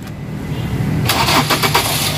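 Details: Ford Focus with a no-crank, no-start fault, after manual ECM, immobilizer and wiring repair (broken wires rejoined). A short crank, then the engine catches cleanly and settles into a steady run: it now starts normally.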